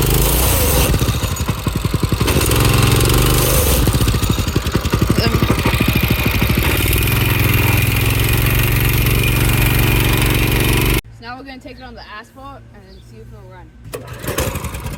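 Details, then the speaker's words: Go-kart with a newly installed carburetor: after running smooth, the clutch started grinding going up a small hill; the small engine runs loud and rough with a harsh scraping grind over its rapid beat, cause suspected, not confirmed. "I was trying to go up this little hill and the clutch sound like it was grinding. Sound like gears are grinding."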